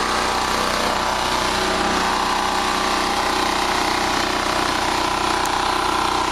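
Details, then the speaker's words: Generator after carburetor replacement for surging; about 61.5–61.7 Hz, 124 volts, carb screw changed nothing, governor screw sets rpm; steady even note, governor holds speed; no more surging, normal running. "I think he fixed the problem, folks. No more surging. No more surging."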